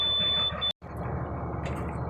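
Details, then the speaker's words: Beverage truck after frame cut-and-weld repair, diesel idling while air tanks slowly build pressure because drain valves were left open; steady high low-air-pressure warning buzz that cuts off after under a second. "she were after air pressure Oh 30 I forgot I had to drain valves open so it's going to take a little while"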